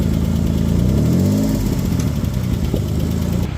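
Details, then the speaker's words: 2003 Mitsubishi Eclipse GTS four-cylinder, after sitting about two months: slightly uneven idle with a light, quick tick that cleared after a drive; attributed to lifters sticky from sitting. "You can hear here it was ticking too, which I was concerned that the valves would kiss the pistons with it being out of time, but the ticking cleared up after I took it down the road around the block. So it must have just been the lifters being a little sticky from sitting."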